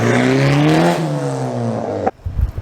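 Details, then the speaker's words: Honda exhaust after fitting resonator pipe with new downpipe to cure rasp and drone: strong rev dropping smoothly then cutting off, deep even note with no raspy edge – smooth exhaust note. "but I mean I think that sounds a lot better I'll overlay another two clips here's before and here's after"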